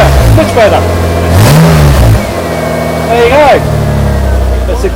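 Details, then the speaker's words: Toyota MR2 V6 with a newly fitted quad exhaust and straight-pipe option: revs rise and fall, and the note drops noticeably quieter as the exhaust valve switches between loud and quiet modes. Normal operation in both modes. "That's quiet. That's loud. Yeah, that's loud. Yeah, quiet. That's quiet."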